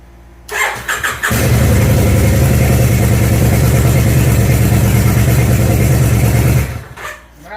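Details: 1999 Kawasaki Vulcan Nomad in neutral with enrichment valve on, after fixing a stuck contactor in the ignition switch that caused no power/no crank: a few quick starter bursts, then catches and settles to steady, even idle. Repaired.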